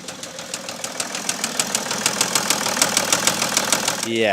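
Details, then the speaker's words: 2008 BMW E65 730d diesel, just started on a recharged, previously dead battery; 44 fault codes were later found. A sharp, regular tick about twice per second over a rough idle, top or bottom end unclear, possibly missing a cylinder: engine knock at idle. "that really does not sound the best is it it's hard to tell if it's top end or bottom end but yeah it doesn't seem like it's firing on all cylinders anyway"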